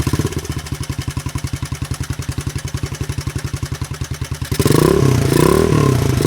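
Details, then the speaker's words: 1983 Honda XL200R dirt bike first run after 15+ years sitting, carb work unstated: slow idle with a loose, even clatter about 160 a minute, then a rev; burning off old oil, little smoke; top-end rattle. "it actually sounds really good doesn't smoke too bad or anything we are burning some stuff off of the engine and everything that's that's been there over the years some oil and stuff uh it does have some top end no"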